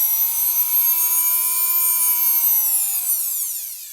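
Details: Nail file motor after repair of a faulty transistor: clean high whine holding steady speed, then smoothly dropping in pitch as it spins down; motor runs fine, though a bearing noise may need oiling.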